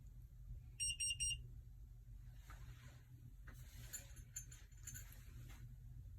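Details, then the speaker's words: Kwikset 888 smart lock, programming new 4–9 digit code with face cover removed: three quick high beeps signal programming failure, must repeat; a long beep means success. "That means you have to do it again."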